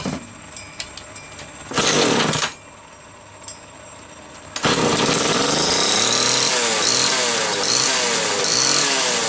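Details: Homelite XL-2 chainsaw, test run just after repair finished: short quiet start, then fires and runs hard with a loud buzzy howl rising and falling with throttle. Normal, healthy running.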